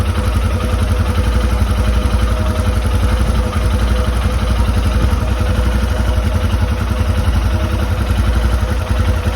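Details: Royal Enfield Himalayan single-cylinder at idle: loose, uneven metallic tick on the thump, about four a second, steady throughout; cause unknown.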